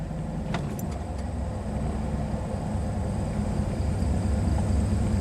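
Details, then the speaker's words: IROC-Z Camaro petrol V8 idling in gear at 500–550 rpm (600–650 in neutral): smooth even rumble, normal after high 1100 rpm misfiring idle was traced to the OBD1 scan tool. "500 550 very nice and normal if i put it back in neutral you know it settles in here around 600 or so 650ish"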